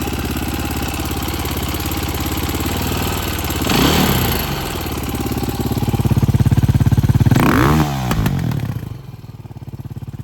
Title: KTM EXC 530 2010 backfiring and noise from engine.